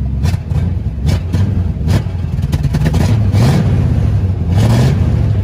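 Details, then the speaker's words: Squarebody Chevy C20 V8 with a Quadrajet carburetor; the throttle is stabbed. The rumble surges and dips and stumbles instead of revving cleanly; owner suspects the accelerator pump and Quadrajet are failing. Hesitation on acceleration. "now if i ease into it that's giving me a pretty good sign that the accelerator pump and the quadrajets going out"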